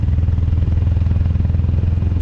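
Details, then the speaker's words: 2007 Harley Sportster 1200 V-twin under load on the road: heavy thumping beat goes flat and hollow as the front cylinder drops out, power halved from 1200 to 600 cc; owner suspects fuel-injection electronics. "just one cylinder so we're losing power pretty uh significantly right here we're going from 1200 cc's to 600"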